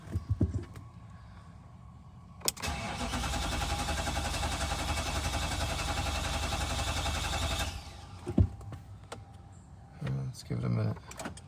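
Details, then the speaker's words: Infiniti QX56/QX80 (2011–2024) right after fuel pump replacement: starter spins engine steadily ~5 seconds but never catches, crank no start from air in new fuel lines; prime pump by cycling start button without brake 5–6 times before starting. "You want to cycle that like 5 or 6 times to just bleed out all the air in the system, and then try to start the car."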